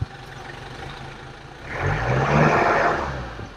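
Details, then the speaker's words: Nissan Big M truck after fuel pump and battery replacement revs smoothly from idle to a strong even rev and back, no misses or knocks; sounds healthy. "listen to those horses before we don't have this sound"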